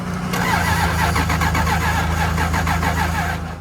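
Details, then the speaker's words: 1994 Lexus LS400 that went from starting then dying to never starting: slow labouring starter churn that never fires and fades as the battery drains; owner suspects failed ECU from leaking capacitor. "Dude, she's so dead, dude. It does not want to start. No shot it ever wants to start. It won't even let me crank it again. I used all the power."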